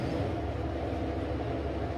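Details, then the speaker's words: ILG B-30 blower on 250 V with its outlet completely blocked off: only a soft, quiet, steady low drone, barely any airflow, and current draw dropping to about 2.5 A. "obviously we can hear how quiet this is running now but now that that's blocked off barely any flow of air coming out of here"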